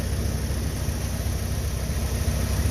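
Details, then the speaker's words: 1951 Willys just started after sitting, starting fluid sprayed, intake refitted: low steady idle, no ticking or knocking, carburetor noise now quiet; smooth healthy engine. "that really runs nice no loud noises no ticking a little bit of carburetor noise which is now quiet"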